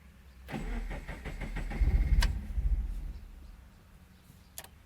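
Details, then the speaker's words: Supercharged Scion FR-S (GT86/BRZ) after ECU flash: brief crank with rough stumbling catch that falls back and won't settle into idle; hard start blamed on bad fuel map, later started after reflashing ECU and resetting MAP sensor. "okay that's promising let's try it one more time so I'm like okay whatever I reflashed the ECU again just to see maybe the flash didn't take right"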